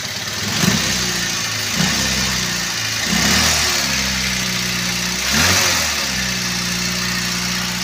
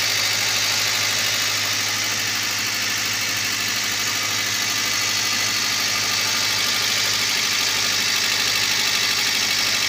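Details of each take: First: Toyota Avanza petrol engine at idle after start-up, owner reports high fuel use, fuel smell, shaking and no power: uneven, lumpy, rocking beat with a cylinder dropping out, misfire suspected from weak or dead ignition. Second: Toyota Avanza at idle after new ignition coil/spark plug fitted to cure misfire: steady, even, stable idle with constant hiss on top and no misfire stumble; normal idle.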